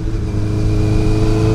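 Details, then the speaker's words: Yamaha MT-07 motorcycle riding in third gear: the engine holds a steady, strained, whining high-rev drone, revving too hard for the gear; shifting up calms it, and over-revving could damage the engine. "and now I'm in third the RPMs you hear it whining it's screaming too it's saying shift shift so you shift second see it calms it down listen to it that means the bike's revving too loud it could cause damage to the engine"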